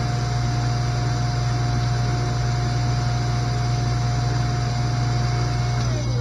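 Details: Newly installed SainSmart GS-775M spindle (rated 20,000 RPM at 24V) with a collet extension on a Genmitsu 3018 Pro, at 100% speed: a smooth, steady motor hum at constant pitch with an even tone on top; it runs normally.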